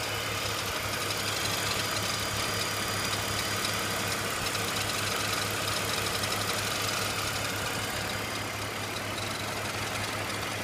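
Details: BMW E46 330Ci at idle: quick, fairly regular tapping around four per second over a hissy background, from the front of the engine; cause unknown.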